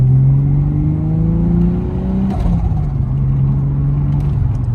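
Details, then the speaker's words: Big-turbo RB30 in a Nissan S14, before its dyno tune, pulling away: rising pitch but choppy, uneven midrange note, like a misfire under acceleration. Owner hopes a plug is dying. "hear that it just sounds a bit choppy and I'm not about it hopefully it's just a plug dying or something"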